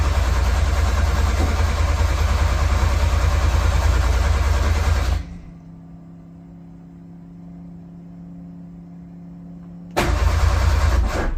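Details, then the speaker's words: Metro GTI race car on standalone management, jump battery wired to the starter, a little throttle: slow, steady cranking around three turns a second with only the odd firing catch, then it stops; hard starting. "Right, that should be firing up a lot easier than that."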